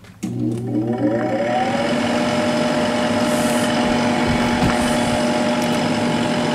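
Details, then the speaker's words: 1997 Sharp 8,500 BTU window air conditioner started on high fan speed, compressor delayed; fan whirs up to a steady hum with a faint dry rumble from a worn motor bearing, present about 15 years despite oiling and no play. "like I said that bearing noise did you hear has been been there for like the past 15 years"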